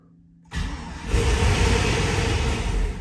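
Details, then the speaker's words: Chevrolet Suburban (GMT800) turbo build with cam, fresh 4L80 and converter, first start: engine catches at once and holds a deep, even rumble, makes oil pressure, turbo spinning, quiet, no leaks; clean healthy start and idle. "all right she makes allil pressure that's a good sign she's running turbo is spinning she's pretty quiet"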